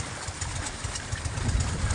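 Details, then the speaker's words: Boat engine running rough at idle with low uneven thudding that surges then stalls; won't stay running, revving kills it, left to warm up; owner suspects spark plug. "Ayaw umandar na. Huwag mo munang hiniritan kasi pag hiniritan mo mamamatay talaga siya. Pabayaan mo muna siyang uminit."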